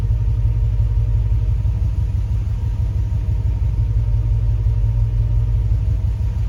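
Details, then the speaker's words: Hemi-swapped Grand Wagoneer at idle, scan shows rich O2 readings, zero EGR voltage and lost injector pulse on cylinders one and six: deep, lumpy idle with uneven low pulses, about three a second; misfire, cause not confirmed. "so we're losing injector pulse a one and six"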